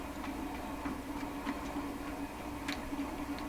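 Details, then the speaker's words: Seabreeze Model 968 tabletop record player during checkout, volume turned up: only faint mechanical ticking from the changer with no sound at all from the speaker; the audio path is dead. "I don't hear a thing. Nothing whatsoever. Nothing whatsoever."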